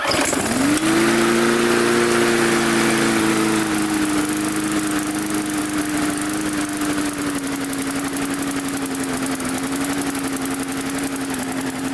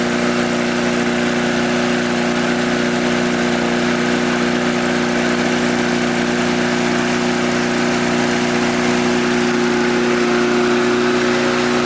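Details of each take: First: Mid-2000s MTD Yard Machines push mower after tightening a very loose blade. Runs a little better, fairly steady but sagging and surging slightly; the loose blade loosened the carburetor off the intake pipe, and the carburetor diaphragm needs reseating or replacing. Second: Curbside-picked mid-2000s MTD Yard Machines push mower, oil clean but a little low, small engine holds a steady, even drone at constant speed with no hunting, knocking or surging; runs healthy.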